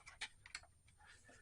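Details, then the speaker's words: Honda Metropolitan scooter after fuel system cleaning: light uneven clicks right after key-on as fuel pump tries to prime, a little fuel coming out. Fuel pump clicking at key-on. "the pump is trying and I don't know what you can see but a little bit of fuel came out of there that's encouraging"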